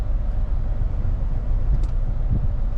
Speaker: okay yeah something's wrong with his engine